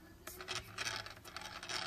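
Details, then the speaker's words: DJI Inspire 2 drone, red-prop motor: irregular scraping, rasping bursts over a faint hum instead of a clean whir, unlike the smooth white-prop side; the cause is unclear but it is definitely not normal. "Not sure what it is, but definitely not normal."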